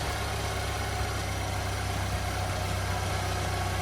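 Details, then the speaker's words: 2013 Chevrolet Equinox after P0420, first start following new exhaust manifold and catalytic converter, AC off: steady even idle with smooth low drone, no puffing or ticking at the manifold; no exhaust leaks, normal idle. "All right, well, don't hear any exhaust leaks."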